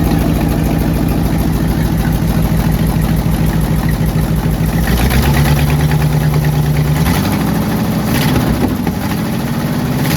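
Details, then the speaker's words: AMC 327 V8 in a Jeep idling before repair: loud, raspy chuffing tick over the rumble from a badly leaking exhaust manifold gasket; fixed by cleaning manifolds and installing new gaskets, which then revealed an engine knock. "It was the worst exhaust leak I have ever seen in my entire life. It was awful."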